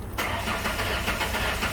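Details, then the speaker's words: Ford Ranger with misfire, later found cylinder 4 at half compression, cranked with coils disconnected: even, steady cranking rhythm with no uneven beats, catches or knocks; cranking sounds mechanically normal. "No, actually it sounds good. Alright, that's actually good. That's a good sign."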